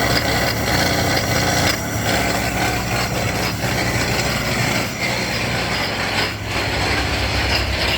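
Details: 2008 Ford Escape at idle: loud rough grinding rattle from front of engine, idler pulley bearing completely gone after running like this a while; to be fixed by replacing serpentine belt, pulleys and tensioner; idler pulley bearing failure.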